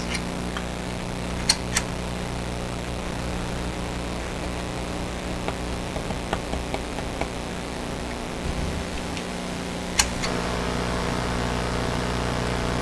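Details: Westinghouse Model 1029 multiband tube radio on the two highest bands: steady hiss and hum with sharp band-switch clicks and no stations; local oscillator not oscillating on these bands, cause still being sought.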